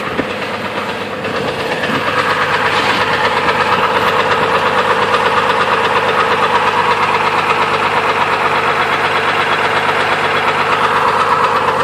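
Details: 2002 Chevrolet Trailblazer at idle with the belt removed, ruling out water pump: sharp regular knocking nearly three per second over steady idle, classic rod knock.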